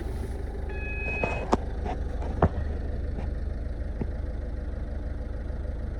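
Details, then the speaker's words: 2010 Ford Fiesta Zetec diesel, Copart car, about 82,500 miles, oil light on: steady, even low idle rumble with cabin clicks and a chime, no knocks or misses; engine sounds fine, service due. "so we'll do a service on it but the engine sounds fine"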